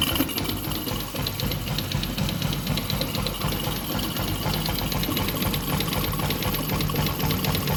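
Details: Yamaha Jupiter MX (non-clutch) with coolant leaking into the oil (grey oil) and a water pump seal due: a fast, uneven clattering knock at about four a second over a steady idle; owner suspects the clutch housing.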